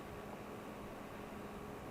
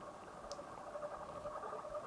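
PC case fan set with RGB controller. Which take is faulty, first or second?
second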